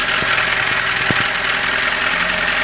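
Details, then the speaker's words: 2003 carburetted VAZ-2107, 91,000 km, after a DIY ring and bearing replacement for high oil consumption, 2,000 km since: sharp uneven heavy knocks over a hissy, rattly running engine; source still unknown. "Ужасные звуки издаются."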